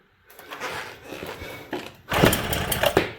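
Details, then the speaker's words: 1979 Suzuki JR50 two-stroke minibike, long unused, in neutral, spark present, low compression reading: quiet kicking then a couple of sharp pops as it tries to catch. It sputters on the kick but does not fire. "Oh, maybe I think it tried. Yeah, it's trying. Can you hear it? It's trying."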